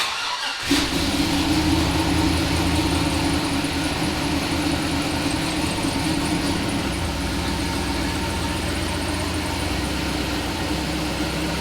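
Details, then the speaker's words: Turbo LS V8 truck after relocating coil packs under the manifold to stop plug wires melting and fix misfire: fires up and settles into a steady, lumpy idle with no misses; small exhaust leak at the dump. "this thing's so quiet out the back it honestly sounds louder from the front because of the exhaust leak than it does back here but yeah this thing's running good guys"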